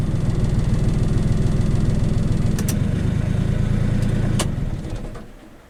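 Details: Honda Acty mini truck after new battery, terminals and main fuse: engine catches and chugs unevenly at low pitch for a few seconds, then fades and dies; hard-start problem, cause not yet found.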